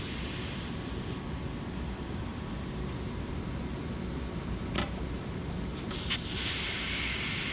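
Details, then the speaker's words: Residential HVAC system after pump-down using a low pressure switch: soft, steady, weak hiss of a little gas bleeding off at the port; only slight residual pressure, likely just vapor, before opening the system. "as we see there's a little bit of pressure left in here but I'm willing to bet it's probably just vapor and we'll just check right here as you can see there's not much pressure left in there at all"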